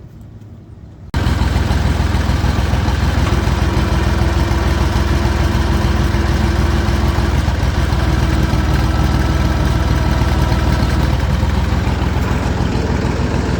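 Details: Landini 5830 tractor diesel started after hydraulic oil and filter change, level halfway between the marks: fires and runs with a deep, even chug at steady speed, no knocks or uneven beats; runs much smoother than before.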